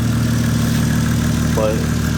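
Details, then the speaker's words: Toyota Chaser JZX100 after cylinder 3 spark plug had shot out and sounded like rod knock; fixed by reinstalling and torquing the spark plugs: smooth, even low idle with a steady beat, no knocking or misses, sounding healthier. "Oh shit. It sounds even healthier now too."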